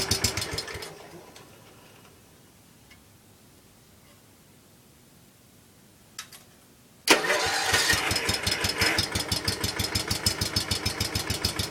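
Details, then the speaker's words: John Deere 110 lawn tractor, Kohler single-cylinder, after new wiring, new coil and reset points, started with some choke; quiet, then catches sharply into a quick, even putter with no misses, healthy start. "This thing runs absolutely amazing. I think this thing might top out the H. I'm serious. This thing runs like no other."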